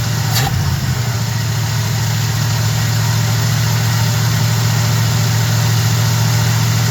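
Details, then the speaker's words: Small block Chevy truck after swapping a sitting Edelbrock carb for a Holley: engine idling on its own for the first time while idle is adjusted, no tach; even steady low idle, regular beat, no misses or ticks; normal idle. "messing with the RPM idle. It ain't got a RPM gauge, but it sounds pretty good, though. Listen, you hear that? It's idling for the first time."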